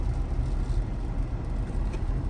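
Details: Lexus GS 300, 115,000 miles, check engine light on, chugs and nearly stalls at idle when braking but fine when driving: uneven, stumbling idle; codes show misfires on cylinders 1–6 plus random misfire and an EVAP fault; VVT suspected.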